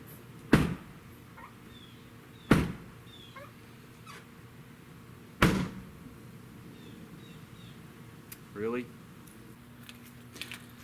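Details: 1999 Toyota Solara trunk lid closed gently gives three dull thumps seconds apart with no crisp catch; it won't latch unless slammed after the rear bumper was painted, the gasket caught under the bumper cover, and an unlatched lid drained the battery.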